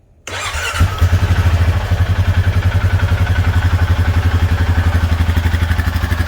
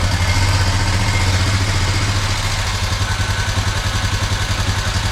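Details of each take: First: 2021 Honda Foreman 520 4x4 ATV single after the valves were adjusted to intake 0.006 and exhaust 0.009. It fires quickly and settles into an even, steady idle thump with no valve tick. Normal idle. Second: 2021 Honda Foreman 520 4x4 ATV single at idle, before valve adjustment. Light, quick ticking at about four per second over the idle. Valve tick from loose valve clearance; the specs are intake 0.006 and exhaust 0.009.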